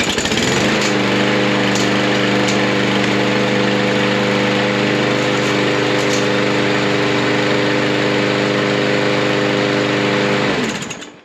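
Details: Troy-Bilt mower with a Briggs & Stratton engine that sat 3–5 years, running after the carburetor bowl and carburetor were removed: steady, even buzz for ten seconds, then a clean shutoff; normal running.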